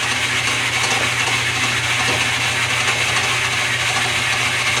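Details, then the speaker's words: Newly acquired mill first test run in direct drive: steady, even whir of gears and spindle with no knocks or surging, running with no problem; minor issue holding back gears, thought to be just an adjustment. "it's running a direct-drive with no problem I'm going to start it up and run it through its paces"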